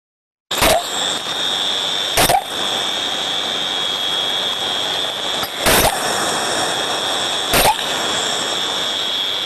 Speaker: so we can see from this sound recording now that we have eight bursts of turbulence all of them are a lot shorter in duration so we can see that now this this trap is not cycling to the OEM guidelines this trap is now losing its efficiency